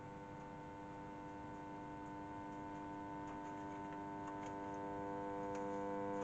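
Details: Sound Belle valve tape recorder: constant low buzz with steady overtones, unaffected by the volume control and gone when switched off; smoothing capacitors on the output valve suspected; mains hum.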